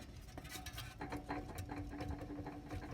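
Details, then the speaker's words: Chevy Cheyenne C20 with the fan and fan shroud off: the stopped water pump, rocked by hand, clicks and rattles with a faint squeak from its worn, loose bearing, which makes a grinding racket when running. It is being replaced with a new aluminum pump. "can hear how loose the bearing is, so it makes all kind of racket when it's running."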